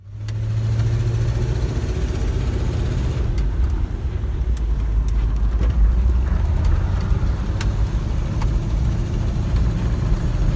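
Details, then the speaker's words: 1991 Jeep Grand Wagoneer running: deep, loud rumble sounding oversized for the engine; exhaust leak from a cracked exhaust manifold. "but we have an exhaust leak when you're driving the Jeep it sounds like you're running a lot more"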